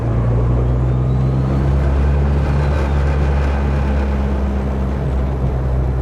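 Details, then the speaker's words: Car with newly fixed TPS and a tune still needing correction, rolling off throttle then cruising: a steady low drone with a faint rising whistle as the turbo spools normally, and heavy vibration felt through one area. "guys can hear that spooling. And load of vibration coming through this area here."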